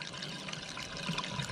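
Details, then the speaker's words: Toilet tank fill valve with faulty float not shutting water off: continuous hiss and trickle as water keeps filling and runs down the overflow pipe into the bowl; fill valve not shutting off. "And it will just continue to run into the toilet, causing that water to just run and run and run."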